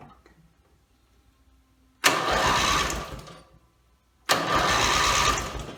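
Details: Briggs & Stratton mower engine after rebuild and carb rebuild, timing dots aligned, valves seated: two brisk cranking bursts of about two seconds that never fire; no-start, owner suspects it isn't getting fuel.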